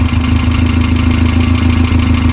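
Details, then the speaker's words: Westfield SEiW kit car petrol engine's first start after 7 years unused, new cambelt kit fitted, no coolant or alternator connected, ticking over smoothly at steady idle with an even low rumble and no knocks. "Ticking over lovely, considering that's not been run for 7 years. I am well chuffed."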